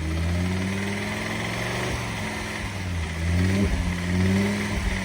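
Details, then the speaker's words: Audi RS3 at tickover and on throttle blips, serviced just before 50k: a faint light rattle over the engine note; suspected internal engine or bottom-end failure, not confirmed. "I would say that's an engine problem. Now, I could be wrong here, but it does definitely feel like I'm having déjà vu."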